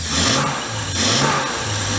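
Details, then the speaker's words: Series 1 Jaguar E-Type at its first start after about 30 years, hot-wired coil positive to battery positive on the positive-ground system: the engine catches and revs up and down cleanly with no knocks, misses, oil leaks or backfires. Normal running. "no noises no squirting oil messes no fires no backfires diamond yeah just turned on and started"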